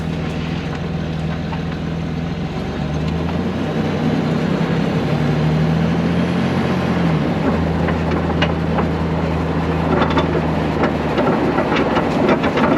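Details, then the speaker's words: Range Rover L320, camera under car: steady road rumble with loose, irregular metallic ticks and knocks over bumps at the rear; owner suspects exhaust shaking, damper pads probably not the cause, foam didn't help, source still unfound. "It's still making a noise. It definitely feels like it's the exhaust, but where that is shaking, I just can't seem to work it out."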